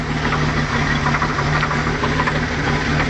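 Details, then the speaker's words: OMC Cobra 4.3 marine V6 in a Sunbird 208, still warming up at idle: dull, fairly irregular knock tapping through the low rumble; engine knock, oil filter to be cut open to check. "She's just warming up here, but I'm going to let you try and hear it. Don't know if you can pick that up. Well, that's the knock she's making."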